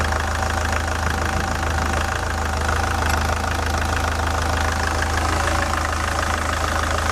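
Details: SsangYong Kyron D20DT diesel at idle, cooling fan removed: fast, fairly regular knock from the belt tensioner, whose spring oscillates back and forth; stethoscope on it gave deafening knocks; tensioner roller off-centre, belt edge chewed.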